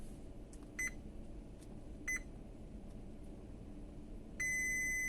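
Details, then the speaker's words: Brunvoll bow thruster PLC board that failed after a 24 V DC line overvoltage: multimeter continuity test across the varistor on the 24 V supply, short chirps then a solid beep at about 2.5 ohms; varistor shorted, with a broken track, to be replaced. "смотрим подходящие 24 вольта на варистор сопротивление два с половиной ума это явное короткое замыкание наваристые"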